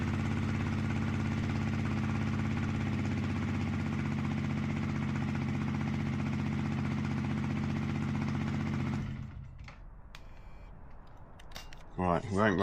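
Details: Yamaha motorcycle in rebuild, just serviced with 10W-40 oil, started in neutral on side stand: steady, even thrum with regular low pulses and no knocking; normal idle, no oil pressure light, what seems to be an oil service light flashing.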